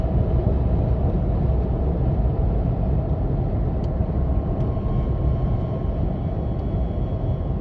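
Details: 3rd-gen Toyota Tacoma, lifted 4in with Fox 2.5 suspension: heavy low hum and road rumble pulsing in a slow cycle at 40-60 mph. It persists after replacing the needle bearing with an ECGS bushing; cause unknown.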